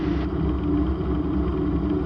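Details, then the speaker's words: Raptor prototype engine run-up on the ramp after a new lift pump was installed; steady fast roar that never settles, hanging at high idle and refusing to drop back; engine stuck at high idle. "It just definitely doesn't want to come out of high idle here."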